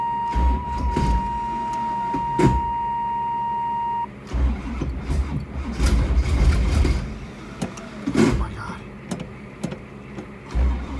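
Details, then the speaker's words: 1985 Camaro Z28 cold start at about two degrees, cranked on small jumper cables, no chokes on carburetors: starter churns in uneven surges, engine catches faintly but never fires; cold no-start, cause suspected. "I don't think she's gonna go it's like kind of there but kind of not it is [ __ ] cold out it doesn't help"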